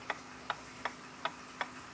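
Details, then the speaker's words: Copal RP-160 flip clock, just serviced with its motor cleaned in isopropyl alcohol and reassembled, is powered up with the front off. Crisp, even ticks just under two per second sound over a faint motor hum; the motor spins freely, the light is on, and it runs normally. "You can see that the motor's spinning freely and that the light is on."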